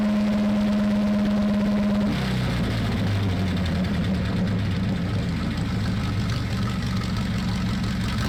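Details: Sherman Firefly tank engine, rebuilt twice after overheating traced to the gasket lining: a steady starter whine for two seconds, then it catches and settles into a deep, even rumbling idle with no knock.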